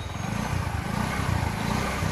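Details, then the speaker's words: Discover 125cc motorcycle just after a block, piston and clutch plate replacement, with some smoke coming out; the former loud "kadkad" rattling is gone, leaving an even, fast, smooth idle with no knocking, so normal. "बघा आता धुराही निघत आहे आणि machine इंजिनचा आवाज तर direct बंद झालेला आहे बघा. नाहीतर खूप आवाज येत होता."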